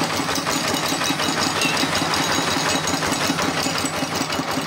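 Steady clattering single-cylinder beat around 170 a minute with a crisp tick on every stroke; the small diesel idles evenly.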